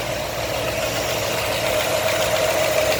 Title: new 347 crate engine knocking part 2